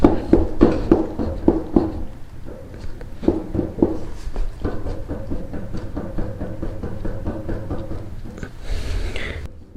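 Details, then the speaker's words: Trailer wheel hub rocked and spun by hand: irregular dull clicks and knocks, a few per second, from loose play; worn, bad wheel bearing needing replacement. "i believe that is all bearing movement and then when you turn this wheel no bueno that sounds awful"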